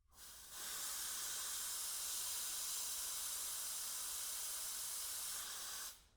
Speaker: Okay. And I just heard the refrigerant going through. I'm going to go ahead and purge here.